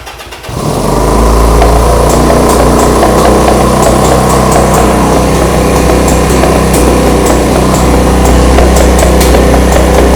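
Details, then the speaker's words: 1975 Honda CB200T twin, second start: roars to a fast uneven idle with sharp backfire pops, revving high then dropping and dying; owner suspects one cylinder ran out of fuel. "It was backfiring a little bit, which kind of worries me a little bit. and it was revving up really high and then all of a sudden it just revved down."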